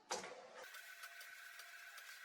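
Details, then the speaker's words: 1999 Sony VAIO floppy drive booting a modern Linux kernel with BusyBox from floppy: soft whirring spin-up, then light irregular head-stepping ticks while loading the initramfs; drive reading normally. "And you can hear the floppy spinning as it loads Linux from the floppy disk. Okay, now it's loading the initramfs from the floppy disk."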